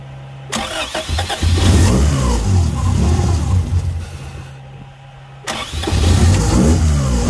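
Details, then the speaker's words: 1999 Honda Civic DX (EK) restarted after a timing belt and tensioner replacement. It fires, revs unevenly and sags toward stalling, needing throttle to stay alive. Blamed on a bad idle air control valve; it runs fine once it settles. "It's got a bad IAC, so it's obviously doing typical Honda IAC things."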